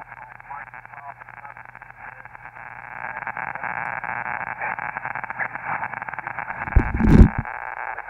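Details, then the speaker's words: Elecraft K2 ham radio kit receiver on 40 meters after final band-pass alignment, first listen on the antenna with the noise blanker not yet installed: irregular crackling and popping over steady hiss, believed to be local electrical interference; radio works. "so that crackling that sounds like really bad static is just noise from electrical interference in my neighborhood unfortunately but the radio is working"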